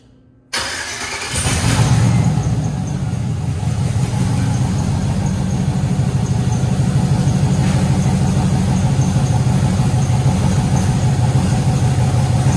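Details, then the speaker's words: 1967 Chevy Impala after fixing a cylinder five spark plug issue: the engine catches and settles into an uneven, lumpy idle with a loping low pulse. Still running rough, only okay-ish. "I was running not great it was okay-ish but not great and I was like what the hell's going on"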